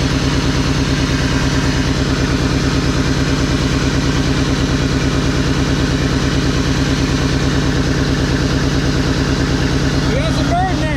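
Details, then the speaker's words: 2001 Mazda B3000 with LS engine swap, started after sitting 18 months, idling after warm-up: deep steady idle with a regular pulsing lope; owner suspects a slight exhaust leak somewhere. "I love the way that sounds a little bit of an exhaust leak somewhere"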